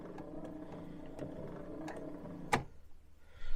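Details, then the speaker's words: Daily-driver Jaguar XJ6 wipers after burnt wiring found: low steady motor whir in run position, then a sharp relay click as the wipers drop into park and the motor stops; parking works normally. "so now that's just a regular run position and you'll hear the relay click when they hit the park"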